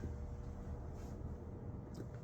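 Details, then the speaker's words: First-gen Mazda RX-7 with RX-8 rotary swap and Sniper fuel setup, unfinished build: quiet, low, uneven chugging, lumpy stumbling beat; rough choppy idle like a chunked cam lobe, cause not yet found. "Hopefully we can get it running, you know, smoothly and actually idling, and not just whatever, you know, choppiness. Sounds like it's got like a cam with one of the lobes just chunked out."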